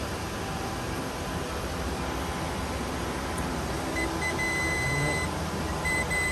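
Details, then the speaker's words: Total Charge III golf cart charger with transformer, reportedly no DC output: multimeter continuity test on circuit breaker gives clear high beep, broken then held steady; breaker passes continuity, working good. "We'll just do a simple continuity test here, just to make sure that it's letting voltage pass through it. And it is. Seems to be working good."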